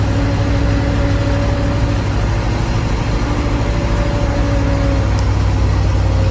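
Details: 1988 GMC 7000 boom truck, big-block 366 V8 with smog pumps removed, cold start after sitting one to two months: deep, even slow idle with no misses or knocks, idling without choke; normal cold idle.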